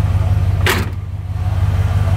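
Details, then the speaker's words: Worn 1957 Chevy convertible, over 250,000 miles, at idle after tightening loose exhaust manifold bolts that caused a leak: low even rumble without the former exhaust ticking or clacking, one short handling knock; manifold sealed; normal idle. "I put over 250,000 miles on this piece and it shows it's worn out but it's still fun [Music] much better [Music] I'll pick it sealed up"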